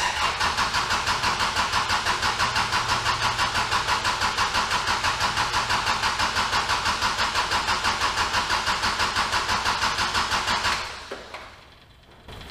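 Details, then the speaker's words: Kubota L4701 diesel tractor after fuel filter change during full service, cranking about three pulses per second without starting; fuel pump clicking, but air in the fuel system since the filter wasn't pre-filled with fuel. "now had I thought ahead I I told myself this was a self-priming system but I probably should have filled the fuel filter with fuel first"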